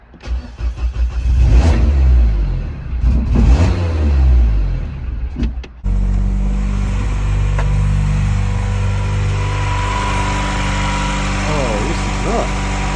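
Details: Big-turbo R56 Mini on first start-up after the timing was set with locking tools: a few revs rising and falling, then a steady, smooth idle with an even low drone; sounds healthy.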